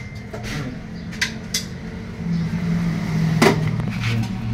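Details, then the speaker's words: 20-year-old LG 12 kg top-load automatic washing machine, not draining or spinning, on spin dry: irregular knocks and drumming thumps from underneath under a rising low drone as spin starts; a part is knocking, replacement part on hand. "Yan yung tumutunog na parang siya y tumatambol kasi n babatak re-release"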